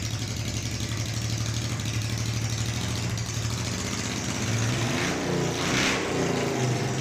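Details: Honda NTV 650 V-twin, off the road about 10 years and first started after storage, petrol on reserve: lumpy but steady idle with a light throttle blip near the end, no knocks or misfires; runs well.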